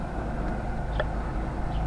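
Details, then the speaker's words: Old Windows 10 desktop in a homemade wooden case, near the power supply: loud fan, a steady low droning whoosh with no beat or rattle; two fans blow in, one exhausts; cause unknown. "หพัดลมตัวนี้ดังนะครับผมตัวนี้ดังตัวนี้เป่าเป่ามานี้นะครับ"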